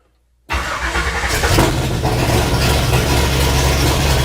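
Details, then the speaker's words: Ford highboy truck 428 V8 first start after new main and rod bearings, no muffler fitted: catches instantly, loud steady even idle with no knocks or misses, oil pressure up to about 80; healthy start. "all right this thing doesn't have a muffler on it and man is it loud wow"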